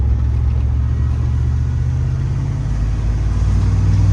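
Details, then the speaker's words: OBS GMC K2500 farm truck, owner plans head gasket sealer: deep even engine rumble building as truck accelerates, no knocks, misses or rattles; runs good, less worn than expected. "oh it sounds good Chef's good oh we're gonna try the head gasket in a can on this one actually doesn't feel as worn out as I expected it to feel"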